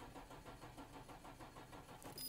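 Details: Nissan GT-R Nismo with about 150,000 km, unused for around 23 days: sluggish starter churning steadily at about two turns a second, never catching; slow cranking from a flat, weak battery.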